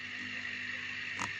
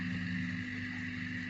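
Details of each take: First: Aquarium air pump sitting on a surface, before silencing in a jar; quiet steady hum with high buzzing edge, no rhythm; pump vibrating against what it rests on. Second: Air pump suspended by its cords inside a large taped jar with air holes, not touching sides or bottom; soft constant low hum with faint higher drone, no rattle or buzzing; pump now runs very quietly and normally.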